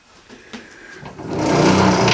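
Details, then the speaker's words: Small 725 engine first run after revival, needing some choke to run at all (owner suspects restricted fuel flow): quiet at first, then a fast, even buzz that holds steady. Sounds good; the points cover was found full of oil, likely from a leaking seal. "I wanted to do I wanted to see it run it sounds good"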